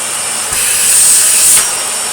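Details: Miele Complete C2 Cat&Dog vacuum shell used as a testbed, running a 2000 W motor from a white 700 series: steady high-pitched rushing whine that swells briefly and settles again; the motor sounds smooth and healthy.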